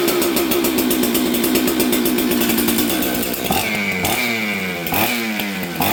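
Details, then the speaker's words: 266XP chainsaw from auction, first start after new ignition and jet adjustment; screams at high revs then drops into uneven burbling, low jet slightly lean, to be richened. "Okay, let's adjust the low jet. I'm going to make it a little richer because it was a little lean there."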